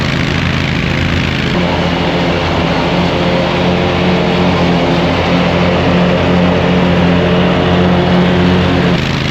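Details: Hustler zero-turn mower with swapped engine, new blades, three new spindles, belt tensioned, mowing grass: steady even drone holding speed while cutting, no knocks, misses or surging; normal running under load.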